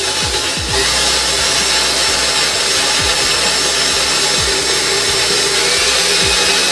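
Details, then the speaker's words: Vintage KitchenAid Model 4 three-speed stand mixer after full restoration and powder coating, run from low up through the speeds: smooth, steady high whir from motor and gears, no knocks or grinding; healthy. "Alright, so it runs good, speeds sound good, gears sound good, everything sounds good with it"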